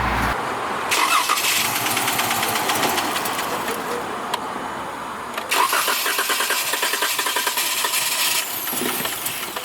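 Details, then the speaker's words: 2014 Chrysler 300S, 3.6L Pentastar petrol V6, ticking for months, flashing check-engine light: cranks hard, stumbles, catches and runs roughly with fast uneven knocking; one cylinder suspected low on compression, rockers a common cause. "so as you can hear i mean it's it's clearly making some noise it was hard to start which leads me to believe that it's long compression as you heard it was trying to stumble over and crank"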